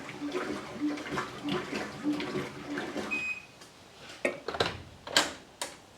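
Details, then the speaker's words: Whirlpool Cabrio Platinum washing machine WTW8900BC0 running a cycle: even, rhythmic water swishes about every half second, no knocking or grinding; normal wash agitation. "Now we'll let this thing run a complete cycle with this agitator. Make sure it's quiet. I'm not sure how well that's coming across in the video, but it's actually quite a bit quieter with my older agitator."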